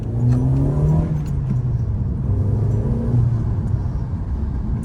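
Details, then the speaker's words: 2012 Hyundai Elantra after replacing cylinder 3 ignition coil and clearing codes, driving: steady, even engine note pulling smoothly under light throttle, no stumble or miss; misfire fixed, running normally on all cylinders. "Guys, I can already tell you that it's running great right now."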